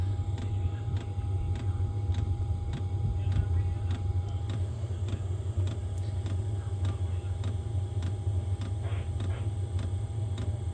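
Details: Diesel parking heater, opened up and remounted at an angle, running at its lowest setting of 1.7: a steady low fan hum with a soft, even fuel pump tick about every half second. It is running normally.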